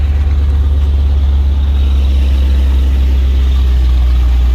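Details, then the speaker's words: Chevy Caprice LT1 V8, cold idle after replacing one fuel injector, O2 sensors unhooked: loud rough idle with fast puffing tick about three per second over deep rumble; big exhaust leak. "said it ain't running right because it still got that big old exhaust leak, as well as the O2 sensors not hooked up."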